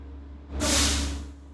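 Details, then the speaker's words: Bus air brake check, engine idling as pressure builds to governor cutoff at about 120–140 psi: sharp air hiss under a second over steady idle; normal governor cutoff with purge. "We're going to inspect that the gauge is working and building pressure to the governor cutoff, which is approximately 120 to 140 psi. And at this point, we're going to listen for the sound of the governor cutoff."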